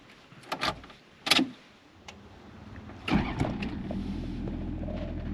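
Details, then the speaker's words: 1993 Toyota Land Cruiser HZJ77 ZX diesel, heard inside the heavily insulated cab: door and key noises, then it fires right up on first crank and settles into a quiet, even idle, much quieter than a base-spec 1HZ Troopy. "Fires right up. Engine is much quieter in the cabin than your standard 1HC, poverty or base spec Troopy or other global market rig."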